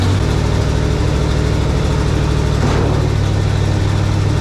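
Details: 1967 GMC 910 Custom truck in winter, starting on a battery booster after the exhaust and muffler work: a loud, deep, steady exhaust rumble with an even beat and no ticking or popping. It idles healthy.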